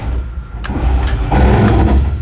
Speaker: that noise go ahead and let go that means you're fully extended